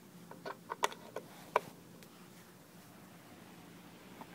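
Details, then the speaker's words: Fan on a 300 W pure sine wave inverter runs with a quiet, even whir and no hum, smoother than on wall power, unlike the inefficient humming on a modified sine wave inverter. "you can see now it's running on the pure sine wave and there's no humming perfectly smooth it actually runs better than plug it into the power of the wall"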